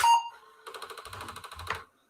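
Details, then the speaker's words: Apple //c power-on: short startup beep then about a dozen rapid even clicks as the floppy drive head steps; floppy drive seeking normally. "all right sounds like the floppy drive's good"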